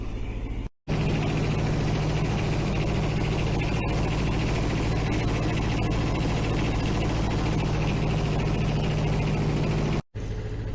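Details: Yanmar diesel engine used as an off-grid power source, started after its metal building was warmed by a diesel heater at −12 °C outside; steady low thrum with an even beat, no knocks or misses, idling healthily while charging the battery.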